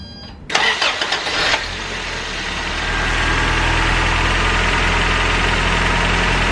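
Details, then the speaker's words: 1986 Toyota 4Runner 22RE after fixing a broken exhaust Y-pipe leak: a brief crank, quick catch, then a steady even idle with no exhaust puffing or ticking; normal start and idle. "so yeah I mean if you remember what it sounded like before here's a clip of that this is way better and I don't really smell too much exhaust so very excited on how this turned out"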